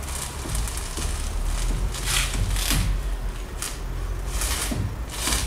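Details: Peugeot (Bipper) with the engine off. A few sharp, irregular tak-tak clicks or taps come from the front as the steering wheel is turned. A front steering or suspension click, cause unknown.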